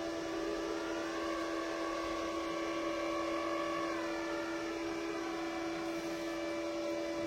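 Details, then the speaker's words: Parkside PIFDS 120 A1 flux-core welder with the nozzle removed and wire speed tied to amperage: a thin, steady whine with faint even ticking, slow at 0.8 and much faster at the max setting of 3; normal wire feed. "Donc on l'entend facilement, hein. Quand on est à 0,8, ça va doucement. Et quand on est au maximum sur 3, eh bien ça va beaucoup plus vite."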